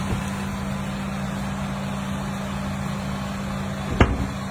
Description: This is the sound of a bad rear motor mount (the one over the rack and pinion) on a 2023 Toyota Highlander.